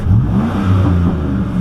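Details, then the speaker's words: 2004 Silverado 5.3L V8 accelerating hard on the road after a new GM fan clutch: the deep note climbs smoothly with the revs with no fan roar on top; the fan noise is fixed. "that ban is fixed job well done everybody"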